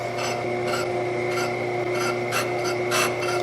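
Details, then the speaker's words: Brake lathe machining a front disc brake rotor from a 1973 Dodge Dart. The cutting bit, set to just touch, scrapes in short rasping bursts about once a turn, catching only the high spot and showing rotor runout. "So it's not, you hear it just touching every once in a while. Okay, so it has, that's how much run out it has, and how much it has. How not flat it is, basically."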